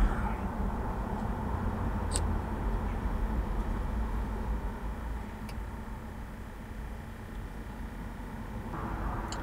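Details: BMW X5 E53 climate control unit blower fan, previously noisy as the temperature was lowered, after disassembling and servicing the unit: an even, steady whoosh of air with no rattles, scraping or ticking; running smoothly.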